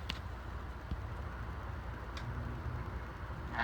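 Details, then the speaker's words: Antique General Electric type AH1 ceiling fan motor running without blades: soft steady low hum, no grinding, scraping or rattle, runs good and quiet. "you can see she runs good though really quiet"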